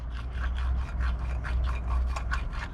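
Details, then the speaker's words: Bass boat trailer (Ranger 518VX) hub turned by hand during bearing and brake service: gritty rasping scrape repeating about three times a second; outer bearing okay, inner bearing bad and to be pressed out. "see how this there there's another bearing inside there the outer bearing is okay but the inner bearing is bad cuz you can hear"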